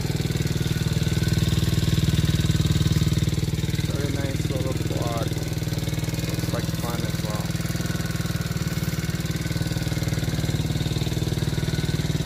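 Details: 50cc kids' Chinese ATV, small single-cylinder engine, idling on test run right after starter solenoid replacement: even, quick putter with no misses or rattles; starts and runs smoothly and healthy.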